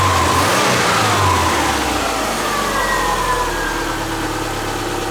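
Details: Subaru Forester with freshly reinstalled EJ25 flat-four, valves not adjusted, warming up, learning idle: revs drop from fast idle to smooth, even settled idle, no knocks or misses; normal warm-up idle.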